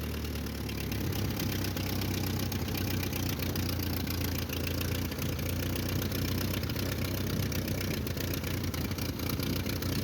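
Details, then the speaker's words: 1949 Ford 8N flathead tractor bought at auction, driving in second gear: low, uneven chugging with a wavering beat. Rough running; the mixture needs adjusting and it likes choke. "Need to play with the mixture. It likes choke."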